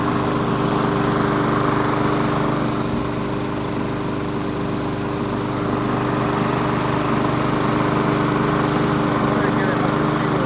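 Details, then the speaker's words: Free 22-inch Weedeater lawn mower, a secondary mower prone to running hot on long days, after a seasonal tune-up with oil burning off: a fast, even single-cylinder beat with no misses or knocks on a short run, sounding healthy. "we didn't run it for that long but it sounds good"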